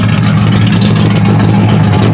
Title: Ty Ty special "exhaust leak"